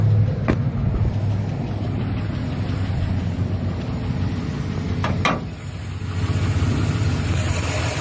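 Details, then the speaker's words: 2011 Silverado 5.3L V8, 126,000 km, after sitting 8 hours: struggled to start, then idles rough and shuddering as if about to die, with sharp clicks; valve cover with built-in PCV recently replaced; cause unknown. "She's idling rough now too. Oh boy. Seems like it wants to die. Holy shit. Fuck. That is not good. Yeah, she's got quite a shudder and quite a bit of wonky noises going on."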